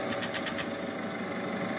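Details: Turbocharged car engine with pneumatic vacuum-operated turbo actuator, at start-up: brief clatter of start ticks, then a steady even idle hum; normal start and idle.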